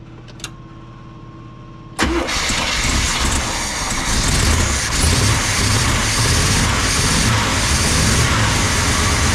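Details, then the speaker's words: Old rig, after a plugged filter was found and a mouse nest was cleared from the intake: quiet ticking, then starts and settles to a steady even idle with no misfire; normal start. "So you figured out the filter was plugged. Mouse nest out of the intake. All right, let's go start that thing and we'll see what it sounds like now. Might run now."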